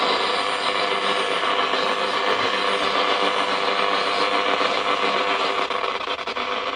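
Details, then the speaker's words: Pye 1000 car radio after a short traced to its socketed output transistor, believed damaged by being run on 12 volts: steady, even hiss and static at good volume with no crackle or dropouts. The radio is working normally; only the dial bulb is blown. "So all that's wrong was the output transistor got the brunt of whatever someone did to it. Let's have a tune around. Unbelievable."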